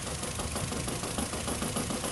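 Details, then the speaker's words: 2008 Nissan Rogue petrol engine with P0300 misfire idling unevenly with a lumpy, stumbling beat during a cylinder balance test, cylinder 3 ignition coil disconnected, which affects the engine. "and as you can hear even saving the number three is uh once you disconnect it's affecting the engine"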